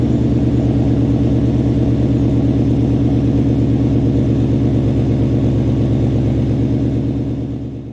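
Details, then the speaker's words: Ford mod motor V8 with Corsa exhaust, cold start after adding Vibrant 1793 resonators (2.5in inlet, 18in) to kill rasp; RPMs flare and hang high; deep steady burble slowly settling, little rasp or crackle; normal. "So there you guys have it. That is the new cold start with the resonators on. As you can hear, it is still pretty loud on cold startup because the way the mod motors kind of flare up and hang the RPMs up a little high."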